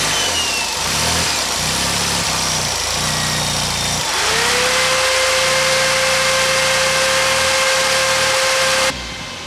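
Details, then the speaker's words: Mazda 323 GTX idling after repairs, with fuel pressure just set and cooling fans being switched on: even, steady idle under a loud hiss, with a faint constant whine joining halfway; runs smoothly with no misfire, healthy. "But yeah, you can see she's running nice."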